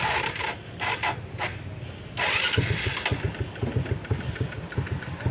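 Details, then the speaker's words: Honda XRM 125 (RS) single-cylinder, just after valve clearance set to 0.05 mm (0.06 mm gauge shouldn't fit), covers and air cleaner refitted: quick even idle putter, valve tick gone; remaining knock attributed to small primary/secondary clutch gear. "Yun oh. Panalo. Nawala na yung lagutok. Alagitik."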